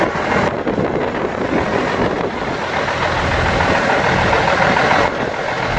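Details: Seddon Atkinson 311 classic truck with Cummins diesel, a yard find delivered on a low loader and never heard running, first start before full rebuild: steady, even diesel idle rumble with no knock, miss or rattle; healthy idle.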